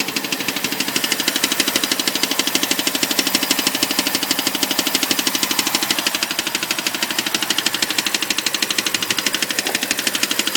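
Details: BMW 545 at idle: sharp, very even clicking at about three per second over a steady idle. The owner calls it a weird noise; cause unknown.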